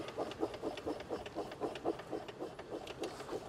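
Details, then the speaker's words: 1985 Citroen 2CV6 Special, two-cylinder, 140,000 miles, barn find: after adding oil to the cylinders and pushing the car to and fro in second gear, soft even chuffs about four a second; compression returning. "put it in second push it backwards and forwards for several miles and see what happens and it's now chuffing like a like a train whereas before it wasn't can you hear it"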